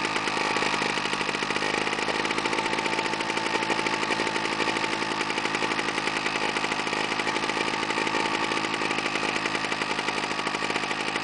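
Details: Fire-damaged Victa Tilt-a-Cut edger after new starter rope, carb not cleaned, primer ticking properly; the small engine buzzes at a fast, even rate with no misses or surging, holding speed steadily: normal running.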